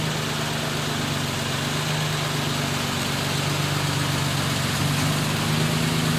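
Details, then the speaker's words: 1941 Lincoln Continental convertible V12 just after its first start on arrival; steady, even run with a smooth low rumble and no knocks or misses; sounds pretty good, a little smoky, rings possibly to be checked later; normal running. "anyway the old Lincoln sounds pretty good A little smoky but you know what that's nothing to set a Rings or we'll look at"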